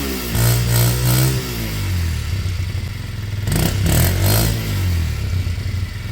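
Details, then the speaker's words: Kymco Zing 125 scooter engine revving up and settling back smoothly a couple of times, with clean pickup and no misfire or rattle. The running issues are now sorted; it had run happier with the airflow blocked by hand. This is normal, healthy revving. "Hey, we're back. Wow, that sounds great. Great. Wow. Good."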